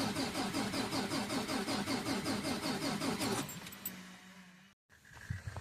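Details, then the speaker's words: 2022 Mack Anthem truck: cranks steadily at about two and a half pulses per second for over three seconds but never fires; crank-no-start. "It's a crank no start. She'll crank. It just won't fire."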